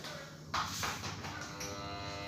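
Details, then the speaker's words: Electric water pump motor, reassembled and plugged in, gives a loud steady buzzing hum with no spin-up, and the rotor locks. It is stalled because the armature/rotor is dirty. "dia berdengung ya Oke jadi ini kita putar lagi dan di sini malah keras ya di sini keras dan kita putar lagi kita colok lagi"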